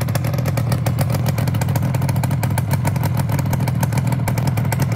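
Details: Yamaha RD250LC two-stroke twin after full rebuild (crank, top end, new old stock carbs): crisp, even crackle at steady idle, no knocks or rattles, running smoothly.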